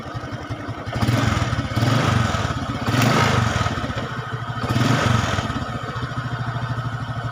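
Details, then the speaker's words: Carbureted Honda Supra X 125 after fixing a very rough-sounding engine by checking the cylinder block and up (owner says such noise is usually piston bore, head or cam chain): even quick idle rising smoothly in blips, now very quiet and smooth, no grinding. "Oke, itu ya, suaranya sangat sunyi, atau maksudnya sangat halus."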